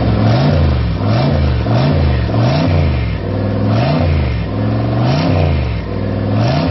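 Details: Freshly rebuilt V8, first start after new gen 4 rods and pistons, new oil pump, new cam and lifters, all new gaskets; deep burble rising and falling with repeated throttle blips, smooth and even, no knocks; healthy.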